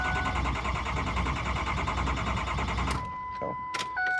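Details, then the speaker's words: Built 6.0 Powerstroke after coolant was found over the engine bay, retried after sitting about 20 minutes: the starter cranks evenly about three seconds with no firing, then chimes; only about 300 psi high-pressure oil while cranking; crank, no start. "waited about 10 seconds, tried to start it again, and it will not start."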